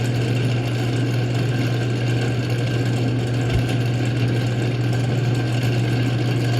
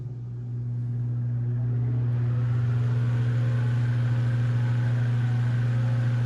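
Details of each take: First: Antique Manning Bowman table fan from Goodwill, oscillator not working, before service: a steady low buzzing drone with rattly resonance, which the owner places at the motor's front bearing and shaft sleeve. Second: Antique Manning Bowman table fan after oiling the motor front to back and moving the blade hub off the front sleeve it rubbed: steady low motor hum swelling to speed with no scraping, rubbing or rattle; normal running.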